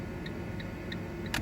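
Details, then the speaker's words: Fiat Punto: crisp even flasher ticks about three a second over a quiet engine; indicators working normally again, airbag disconnected. "we have the indicators working on this P up nice one"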